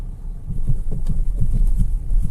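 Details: Mahindra XUV700 driving at about 15 km/h: dull, uneven low thumps through road rumble, front suspension knocking at low speed, louder at the front than the rear; said to be common on all XUV700s.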